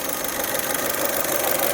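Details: 2008 Saturn Astra, just over 114,000 miles, warming up after throttle body replacement (it had lost power and fuel mileage and shifted oddly): steady idle with light, quick injector ticking, no hunting or misfires; idling smoothly.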